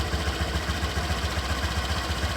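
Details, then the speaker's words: 2018–2019 Honda Vario 125 at idle/low rpm: low lumpy growl with a quick even pulse; shimming the radiator cover didn't remove it, so owner suspects the radiator fan instead. "Jadi meskipun saya tambahkan pengganjal, tetap saja suara ngorok itu tidak hilang."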